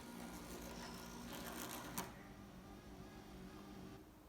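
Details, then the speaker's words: VW Golf Mk1 GTI new electric retractable aerial, test wired temporarily with inline fuse: faint even motor whirr for a few seconds, then stops cleanly at full extension; normal operation. "so you can hear the motor turning and then it stops so obviously it's coming to the end of its full Strokes that's all the way up"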